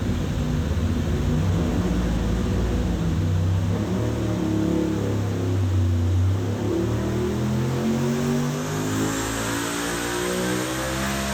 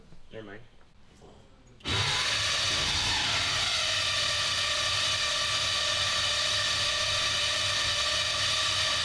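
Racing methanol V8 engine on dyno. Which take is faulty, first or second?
second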